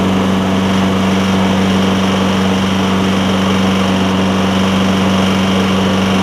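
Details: Lowe's MTD push mower with a Briggs Quantum engine: smoking and spitting gas out the carburetor intake, and it seems to run better without the air filter. It runs loud and uneven. The owner suspects a tight intake valve.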